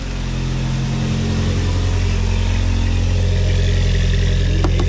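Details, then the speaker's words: 1987 VW MK2 Jetta back together after 3-speed automatic to 5-speed manual swap: steady, even low rumble settling into smooth idle, no knocks or misses; engine runs healthy. "The car is running. It's back together."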